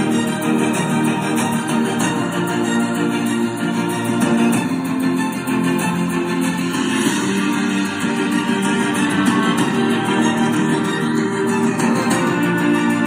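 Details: JBL Bluetooth speaker after repair with firmly stuck electrical tape, cover off: music at full volume, clear bass, no rattle, buzz or crackle from cone; speaker healthy after repair.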